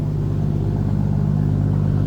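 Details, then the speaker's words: 1961 Plymouth Fury hardtop, 225 slant six with dual exhaust and push-button automatic, idling just after a cold start (temp gauge not yet up): steady, even low rumble with smooth regular beat, no knocks or misses; normal cold-start idle. "Alright, that was a cold start, so I wouldn't expect the temp gauge to be up."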